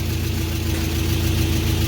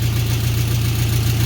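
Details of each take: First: VW Beetle after oil pan replacement following a holed pan and metal in the pickup: a deep, even idle rumble with a throttle blip and no knocks or rattles, despite an exhaust leak. The engine needs no replacement. Normal idle. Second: VW Beetle at idle after replacing a holed oil pan following oil loss from bottoming out: steady low idle with even puffing tick on each firing pulse, exhaust leak; slight clatter, engine otherwise sounds healthy.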